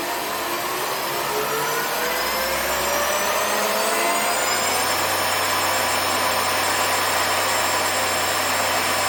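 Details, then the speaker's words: Shopsmith after cleaning to fix RPS error, belt refitted, cover on: motor whine climbs to about 9500 setting and holds a smooth even tone, no clunks or rattles; belts need no readjustment. "all right to me it sounds like it's really doing right no need to readjust the belts"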